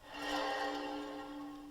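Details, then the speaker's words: 2001 Honda Civic / Acura EL front wheel hub spun by hand: steady metallic hum and rough whir where it should be silent; shot wheel bearing that howled loudly when driving. "you hear that that should be silent oK we've moved over to the bench now so I'm going to take the disc off but you can obviously hear that that'll be just a really loud that is a really loud howling going down the road that's how I knew it was shot"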